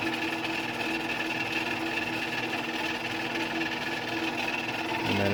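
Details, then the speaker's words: Old Genie Model 209 chain-drive garage door opener with code card radio set, running: even, fairly quiet motor hum and steady chain whir, no grinding; seems slow, possibly from a bigger sprocket. Normal operation. "So you can hear it's not terribly loud. Um now that I'm I think these machines are kind of slow or at least it seems to be."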